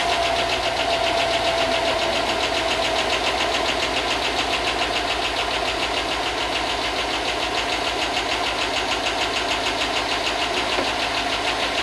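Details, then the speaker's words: Rusted Tahoe 5.3 LS V8, not run in a long time, first start: fast crisp metallic ticking over steady idle, about three to four per second; owner hopes the lifters pump up and the noise goes away. Cause suspected, not confirmed. "It's running. Well, it hasn't run in a long time, so hopefully the lifters pump up and that noise goes away."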